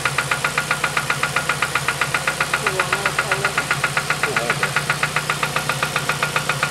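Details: 2007 Ford Focus ZX4 ST at idle, first start since knocking began weeks earlier at about 4500 rpm, engine reportedly run with no oil; sharp, regular knock about four per second over steady idle, suspected rod knock, unconfirmed.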